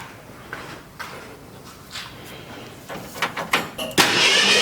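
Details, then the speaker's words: 1966 Ford Mustang project sat for a long time, starter solenoid wire reconnected, key start: a few light clicks then starter spins the engine briskly and evenly; normal starter cranking. "Oh, that's golden. I've never had a Ford that actually worked. with the solenoid if it's sat around for a long time."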